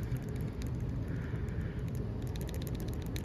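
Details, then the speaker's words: Removed camshaft position sensor from a 6.0 Powerstroke F-250/F-350 with 238,000 miles that stalled randomly with no codes: light loose clicking rattle when the sensor is shaken, its cap loose from the shaft; bad cam sensor. "yeah that's the cap and it's loose from the shaft and that can definitely change the distance of your polarity when it's reading the cam cam shaft so this is a bad can shaft sensor"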